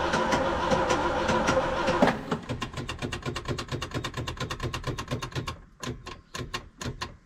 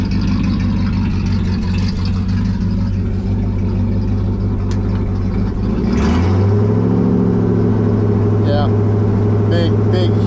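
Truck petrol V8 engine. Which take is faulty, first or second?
first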